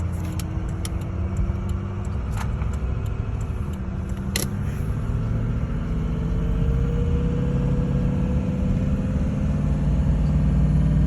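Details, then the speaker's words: Ford 6.0 diesel truck pulling a light trailer, under throttle: deep rumble with uneven, lumpy chugging pull, almost no boost and barely moving; caused by a clogged exhaust back pressure tube. "Boost is like nothing. See the speed? Now I'm giving it gas. My foot's on the gas. Look at the boost. See that? See that? The truck's barely moving."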